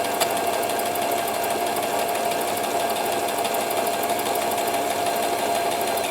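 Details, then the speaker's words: Thrift-store Brother XL-3750 sewing machine during a test stitch, giving uneven stitches; steady motor whirr with a fine rattling chatter from inside, later traced to thread and a needle wrapped up behind the hand wheel. "So do you hear that noise? I have no idea what that is. It's something inside here though, right?"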